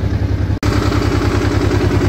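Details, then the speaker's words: Honda NT700 motorcycle after repair of a coolant leak at the water pump housing and crossover tube, warm idle up to temperature with cooling fans running: regular, even thrum, no ticks or misfires, no drips; sounds healthy. "we've just got up to temperature and the fans are on them and we still don't have a mark on the paper the drips or anything from it"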